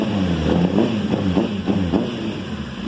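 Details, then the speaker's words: 2005 Honda CBR1000RR at idle after new spark plugs, which starts then dies: uneven lumpy beat about three a second with dropouts, still misfiring. Water was found in the fuel tank; clogged injectors suspected, not confirmed. "so as you can see we still have a misfire and uh the bike is wanting to idle on its own it's just um [Music] once it uh you can hear where it's misfiring and stuff sounds terrible"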